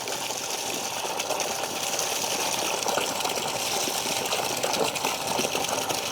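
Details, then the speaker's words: Shimizu PL-122 BIT non-automatic shallow-well pump (PP plastic body, all-copper motor) switched on after priming: strong, steady water rush over a smooth, even hum with no knocking or rattle. It runs normally at full flow and starts filling. "Suaranya halus sekali ya. Nah, ini dia mulai ngisi."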